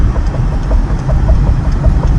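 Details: Car on winter tires after curb impact, driving: dull knocks about three a second over heavy low road rumble, from a bent front suspension control arm.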